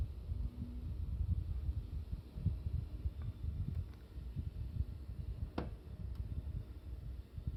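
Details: Mitsubishi MSZ-HR25VF new indoor unit, second unit on a multisplit system: quiet fan hush with one sharp isolated crack/knock at 1:17, another at 3:49; knocks quieter and rarer than on the replaced units but persist on both indoor units.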